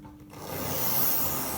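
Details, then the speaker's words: Tri-ang R.355 0-4-0 model loco after cleaning and fixing a short where a wire crossed onto the red wire: small motor whirrs steadily and evenly with no stutter; smooth running, fine at higher speeds, may need more running in. "now it should yeah that's better that's quite smooth as well it might just need a bit more running in now that i've cleaned it but at the higher speeds it runs fine"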